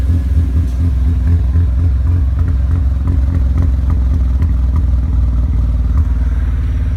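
Rotary revs and idles with uneven, stumbling low pulses and dropped beats breaking the rhythm, a misfire with no cause found.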